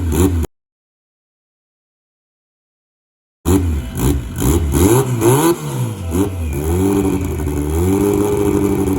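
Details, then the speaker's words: Fully built, sleeved Honda B18C1 GSR (forged pistons and rods, Pro1 cams, titanium valvetrain, 6266 ball-bearing turbo) on first startup: uneven, surging running held at about 1,000 rpm, because it won't idle on its own. "so she's not idling on her own but if i hold around a thousand it's kind of what it sounds like"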